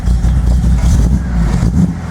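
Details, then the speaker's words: Datsun 240Z carbureted engine idling in neutral after Seafoam added to fuel; ignition module swap brought no significant change, owner suspects sticking carburetors: deep burble surging and sagging unevenly, still lumpy; rough idle, cause unconfirmed. "Alright, make sure we're in neutral. Still lumpy."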